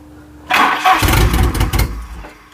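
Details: Volvo 740 petrol, unstarted for about 20 years, cranked before fresh super unleaded added: brief cranking burst with a few sputters, dies without catching; cranks but won't start. Owner suspects the old fuel.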